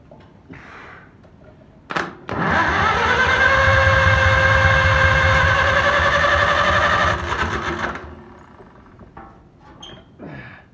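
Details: Old farm engine rested 15 years, after filing the points and its first start: starter grinds about five seconds with even beats near four a second but never catches; cranks but won't start.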